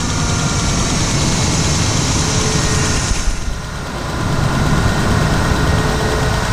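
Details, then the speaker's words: 1999 Ford Ranger 4.0 V6 petrol after idle air control valve replacement and idle relearn: even steady low rumble with no hunting or surging, fixing erratic idle and hard cold starts. "No more sporadic idles, no more not starting when it's cold."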